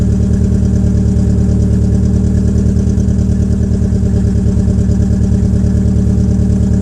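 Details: 2004 Peugeot 807 SR 2.0, EW10J4 RFN petrol engine, cold start with the rear silencer removed: a loud, deep, pulsing, slightly uneven idle beat about three per second. The owner attributes the rough cold idle to tight valve lifters, and it improves as the engine warms.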